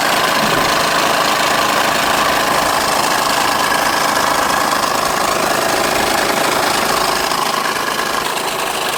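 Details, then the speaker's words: Car with check engine light, running: loud steady run with a fast even knock about three per second from the timing belt area; belt flopping against the cover suspected, unconfirmed. "That noise is in the timing belt area. So we're going to have to take the timing covers off to see what's going on. It could be the belt flopping and whacking the cover."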